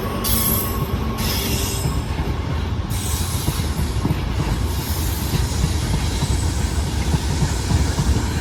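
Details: Brand new WAG-9HC electric locomotive hauling petroleum tanker wagons: loud high-pitched screeching bursts over heavy rumble and rail clatter as wagons roll past; wheels squealing on the rail.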